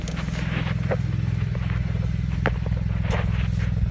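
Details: 2007 BMW 335 at idle after winter storage and a valve cover gasket change, fault codes set: deep idle with uneven stumbling beat and lumpy thumps; misfire, cause not yet pinned down.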